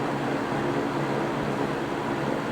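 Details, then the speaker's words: GE three-blade box fan starting and running: steady airy whoosh with soft low hum, much less startup sound than the other fans and no buzzing issue unlike the W22s. "And you may notice that this fan does not have nearly as much of a startup sound to it as any of the other fans in here do."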